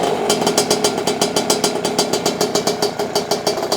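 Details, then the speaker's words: Puch Maxi moped with new Airsal 70cc cylinder kit and Proma CC torque exhaust, first start, idle raised slightly: started on choke then idles without choke, even steady two-stroke popping, no misses or surging; normal idle. "Sounds nice. The sound is good. Uh, we need to test it. The fact that it started with choke, then kept on going idling without choke is pretty okay."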